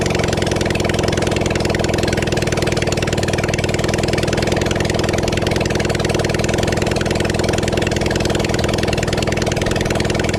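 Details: Kawasaki Zephyr 750 four-cylinder during restoration, outdoors, just after refitting carbs, with some choke, fuel and a string throttle: loud, steady idle with an even pulse and no missing beats or knocks. Normal idle.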